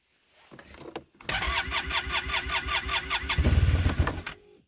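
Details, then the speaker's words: Arctic Cat Norseman snowmobile after sitting all night, on fresh gas with Sea Foam: steady cranking, about four turns a second, never catches. Crank, no start. Dealer reported a vacuum error code; owner suspects a slow leak draining fuel from the cylinder, or possibly the fuel pump. "it's probably gonna do what it's done the last every day the last week here which is crank crank crank and not start"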